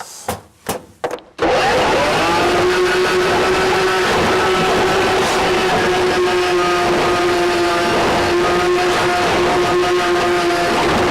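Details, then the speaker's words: RIDGID K7500 drum drain cleaner, universal motor, 3/4 inch inner-core cable, run manually at an obstruction: loud steady whine that sags in pitch as the cable bites into the blockage, showing it is working. "it's going to get noisy but pay attention to the tone of the machine and you will hear when it whines down okay that means that it's actually trying to work"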